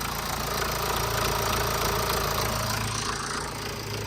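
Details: BMW 1 Series (E87) 123d diesel needing a timing chain, with warning lights on and shaking: a quick, fairly regular metallic rattle of three to four a second over a rough idle that sounds like a tractor; worn timing chain.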